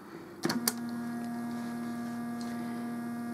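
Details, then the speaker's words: Homemade tape recorder playback preamp sharing one power supply with the tape motor: after a click, steady buzzy hum with tone above during play/fast-forward as motor turns; fix is capacitor across preamp supply rails plus in-line resistor. "I'm sure you'll notice right away when I put this into play or fast-forward or anything that involves the motor turning that pretty much speaks for itself"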